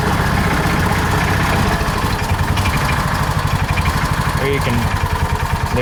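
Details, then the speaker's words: John Deere Gator 4x2 at low cold idle: loud uneven clattering racket from the rear belt drive over a choppy idle; CVT primary clutch grabbing at idle. "you can probably start to hear some of that belt noise or that clutch noise I was talking about. Makes an awful racket back there."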